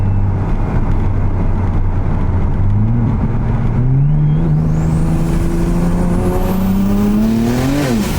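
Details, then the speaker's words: BMW 335i tuned at 30 psi, injector swapped from another car without new seals, logging run: rising drone with uneven stumbling note under acceleration; feels like a misfire, tuner says it leans out on low-to-high pressure fuel side. "But let's just say it feels like there's a misfire. Yeah, it's not good, boys."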